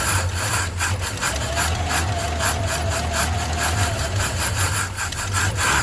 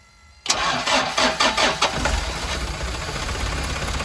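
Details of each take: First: Old Chevy straight-six truck with a one-barrel carb, run last week, fuel filter dry and system unprimed, fed from a gas can with gas poured into the carb: long, uneven crank about three turns a second without catching. Hard, prolonged cranking; always cold-blooded. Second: Turbo diesel truck cold start, running on one battery instead of the two it should take, coolant about half a quart low and topped up: brief crank, then it catches at once into a steady, even clatter with no misses. A clean, normal start.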